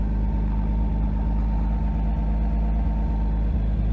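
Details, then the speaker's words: 2JZ engine with CD009 transmission and Tilton ST246 clutch kit, about 2,500 miles at nearly 600 lb-ft, idling in neutral at just over 1,000 rpm with feet off the pedals: steady, even idle with no bellhousing rattle. Normal idle, no clutch rattle. "Now, I don't hear any rattling at idle. Genuinely, no rattling."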